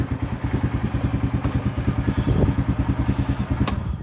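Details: Polaris RZR 170 youth side-by-side after stator repair, on the jack in neutral, battery a little weak; previously slow to start: steady, even low thumping about three beats a second, no misses or knocks; normal clean idle.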